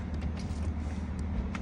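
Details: BMW window motor: an even low hum holds steady throughout with no clicking, grinding or strain, a normally running window motor (the car's rear window would not roll up).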